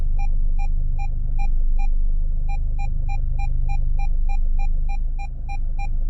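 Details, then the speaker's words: Peugeot 407 after the parking-assist ECU module and connector were replaced and the audible warning was enabled in Diagbox, engine running: short, evenly spaced high beeps over a low rumble while nearing an obstacle. The audible warning works, but no visual display yet. "so i can hear the warning but i don't have no visual on it and i think that's because i've replaced this unit and something is not hundred percent correct"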